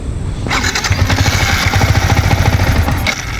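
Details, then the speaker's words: Yamaha MT-15 motorcycle: on starting, engine catches and runs rough and lumpy for about two seconds, then dies; repeats on retry. Owner says after trying a while it runs. "So நீங்க பாத்திருப்பீங்க இந்த மாதிரி நான் start பண்ணும்போது app ஆகுது."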